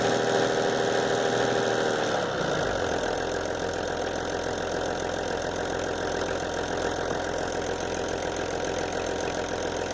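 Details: VW LT 28 diesel, engine S1, at idle: a fast, even ticking rides over the idle, thought to be the vacuum pump but not confirmed. Ticking noise at idle.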